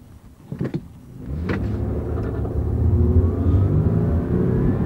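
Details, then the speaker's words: 2002 Toyota Camry at 142,000 miles with rear wheel bearings starting to wear, accelerating from a stop at full throttle: the engine note climbs smoothly and evenly with no misses, knocks or flat spots. Normal acceleration. "now it does have 142 000 miles on it that's kind of typical it's got decent power stop here see what it's got"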